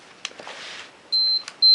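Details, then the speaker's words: Canon AE-1 Program 35mm SLR self-timer test: two clean, high-pitched beeps about half a second apart, which speed up just before the shutter fires, so the self-timer works normally. "we hear it beeping and it will start beeping at a little faster rate when it gets close to when it's going to take the picture and there it did so the self timer works"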